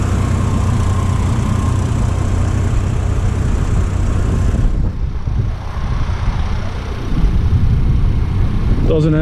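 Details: 2003 Chevy Trailblazer LTZ 4.2 I6 idling after test drive, following gasket, plug and coil repair for P0305 misfire: smooth steady rumble, no front-engine chirp; the cricket-like idle chirp is gone, traced to the alternator (belt change didn't fix it, new alternator did).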